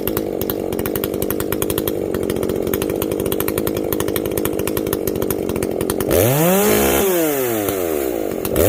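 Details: Echo CS-590 chainsaw after a carb mod and opened-up exhaust, running cooler: holds a hard, clean high scream near an estimated 11,000–12,000 rpm, possibly the rev limit, without burbling, where it used to garble out around 10,500. Revs drop and rise smoothly; runs properly.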